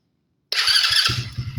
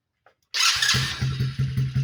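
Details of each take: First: Coleman AT125 Chinese ATV after new intake, airbox and carburetor and a throttle cable adjusted so it no longer held a high idle: engine catches at once and settles into a steady, even idle with no engine noise. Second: Chinese Coleman AT125 ATV with new intake, airbox and carburetor, just started and carb adjusted: single-cylinder idle with a light quick lifter tick, exhaust or intake valve suspected; valves to be adjusted.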